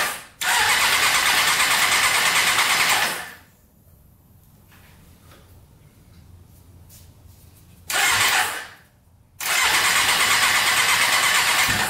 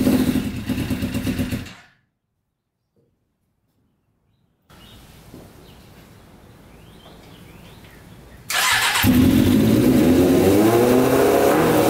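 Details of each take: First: Custom Yamaha Banshee quad with a 600cc sport bike engine, run after removing the pod filters: fires in short ragged bursts and drops out; owner thinks the two middle cylinders get no fuel, maybe a carburetor needle stuck closed. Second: Custom 100 hp Yamaha Banshee two-stroke after cleaning the middle carburetors with suspected stuck needles: shuts off, restarts and holds a crisp, even high idle; all pipes hot, every cylinder firing; normal running.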